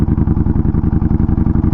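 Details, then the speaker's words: Yamaha Bolt after a crash, ridden in third then second gear: deep, heavy, uneven chugging, labouring low as if about to stall; brakes apparently locked up with burnt-brake smell; engine bogging under load. "I'm in third gear and it's like stalling out but I've never had that issue before here I'm in second you're definitely not running right"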